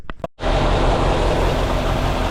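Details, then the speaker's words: 1981 air-cooled VW Vanagon, started before a drive while not yet warmed up: brief cranking catches quickly, then a steady, even low rumble with no misses or knocks; running well. "well, it's running well, and hopefully our drive down there will just give it a little warm up and we won't have any issues."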